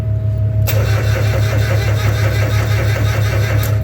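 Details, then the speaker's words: Cold diesel tractor (Onan/Perkins) with manual glow plug, mid-20s °F morning: starter cranks it over at a steady, even chug of about two beats a second without firing, before preheat, to get fuel in the cylinder and oil moving. "just want to get some fuel in the cylinder some oil moving through and then now I'll do the glow plug"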